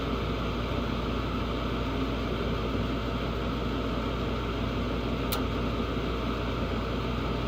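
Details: Carrier furnace on a no-heat call where the gas valve had been switched off; after turning it on, a smooth, steady rush of air and burner roar with no knocks or rattles as the furnace fires and runs normally.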